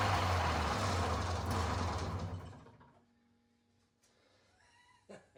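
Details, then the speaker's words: Old Arctic Cat snowmobile with swapped fan-cooled two-stroke engine, carb idle and mixture screws set to 1.5 turns: races well above normal idle a couple of seconds, then chokes out; idle speed too high. "I tried to back the idle down about half a turn because it was really revving."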